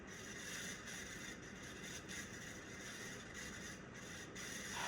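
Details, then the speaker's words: 1990 42-inch Encon Contempra Supreme hugger ceiling fan on high, drawing 0.41 A: quiet running with continuous dry scraping rattle and repeating catches; worn motor bearings needing replacement. "Man, these bearings are making such a racket. If I were to install this, this is not going in and installed in my house until these bearings are replaced."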